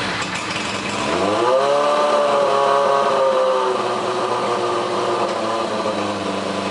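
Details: 1981 Suzuki GS850 after new exhaust fitted, carbs reconnected, coils confirmed firing with temporary wiring: engine catches, revs up smoothly, then settles to a steady fast idle with even firing and no misses; running properly.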